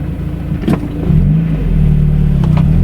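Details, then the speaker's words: Mazda, driving before winter storage, injectors cleaned and seals replaced in the spring: the engine note climbs smoothly under acceleration over road rumble, with no knocks or misses. "Engine runs so smooth in this thing."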